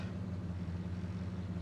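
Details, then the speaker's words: 1966 Ford Country Sedan wagon, first start after a minor engine overhaul: quiet, low, steady idle with an even beat and no ticking or stumbling, engine still cold before warm-up; temp gauge reads hot falsely (suspected gauge short). Normal idle. "now that sounds good okay I'm going to go ahead and let it run for a while um so it can warm up"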